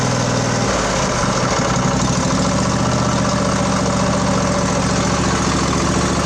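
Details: Craftsman LT1000 20 hp twin riding mower after carburetor repair, fuel solenoid now clicking, carb primed, new plugs, started without choke: brief uneven catch then steady, smooth idle with even low throb; running properly.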